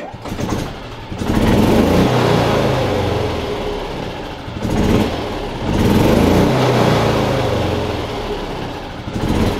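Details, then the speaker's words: Yamaha G29 golf cart with a new stop-circuit part fitted, battery charged, electric fuel pump audible at key-on, belt removed: engine catches and revs smoothly in two pulls then settles; normal start and revving after repair. "okay we have the uh battery all charged up it starts good now turn the key on you can hear that electric fuel pump going but now it starts every time now got that new part in there"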